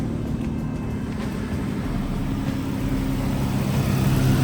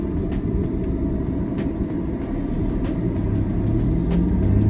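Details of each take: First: Ford Explorer V6 after repairing a misfire on cylinders 1 and 2, codes cleared: low, even engine hum with a steady beat and no stumbles, slightly louder than before; now idles smoothly on all cylinders. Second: Non-turbo naturally aspirated V6 Ford Explorer after misfire repair on cylinders one and two: deep heavy uneven rumble at idle, louder than expected, coming from front of car; exhaust/muffler leak suspected, owner says always this loud; loud engine noise.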